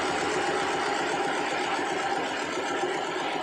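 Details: Yulin 2105 two-cylinder rice-mill diesel after adjusting the injection pump plungers, whose sticking had caused unstable governor speed: steady, even chugging at constant speed with no misses or faltering; it now runs smoothly and healthily.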